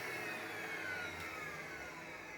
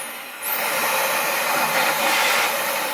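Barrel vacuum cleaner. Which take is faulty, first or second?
first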